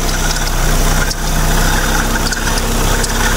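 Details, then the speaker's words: Proton Persona Campro after fixing sluggishness and rough noise: smooth, steady idle, rough noise gone, slight chirp from the tensioner bearing; fan bearing also stiff, both due for replacement. "Okey, bunyi kasar hilang eh. Ada bunyi cekritik sikit. Biasa tu bunyi tensioner."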